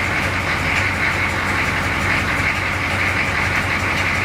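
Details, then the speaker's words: 6.2 diesel Suburban at steady idle after exhaust repair, even diesel clatter with an airy hiss on top; it runs but may still have an exhaust leak somewhere, suspected not confirmed. "like it might still have a leak somewhere. Anyway, it runs. They got a unique sound, don't they?"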